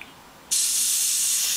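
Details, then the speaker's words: Steady high hiss bursts in abruptly and holds as air escapes around the compressor hose chuck at the tire valve, outlet pressure set around 40 psi on a new compressor that won't inflate the tire; tire leaking air suspected, not confirmed. "the first thing you'll hear is going to be the the air coming out of the I think the compressor the the hose side cuz it triggers pretty easily wa that's probably the tire letting air"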